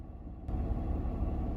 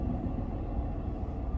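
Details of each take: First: Misfire triggered on purpose with an OBD2 scanner's fuel cylinder cutout test disabling the number 1 injector: lumpy, uneven idle with an irregular low thump from the dead cylinder, until all cylinders are restored. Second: Lexus idling after a cylinder 1 fuel injector cutout test run from an Innova SD35 scanner. Now back to all cylinders firing: a low, steady, even and smooth idle rumble.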